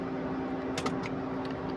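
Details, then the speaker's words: Mercedes GL450 with a no-start complaint: with ignition on, the engine won't start while the cooling fan blows steadily in a constant whoosh and drone. "Can you see um the fan is blowing steady and which is very very bad."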